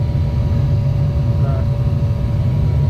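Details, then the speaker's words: 30-year-old Goodman gas package unit after the rusted-out burners were replaced, with the igniter pilot assembly replaced earlier. The pilot lights and the burners run with a steady, even low roar, no popping or rumble: normal burner operation. "So there's our pilot. Ooh. And that looks a whole lot better and sounds a whole lot better."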